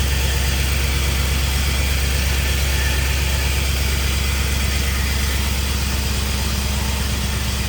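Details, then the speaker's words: 1951 Chevy with LS V8 swap at first start-up: a deep, uneven, lumpy idle running on only four cylinders because the injectors on one bank aren't firing right; the harness was then swapped side to side to trace it. "So, when you guys heard this thing are running, it was literally only running on four cylinders. And uh this whole side over here, the the injectors aren't firing right."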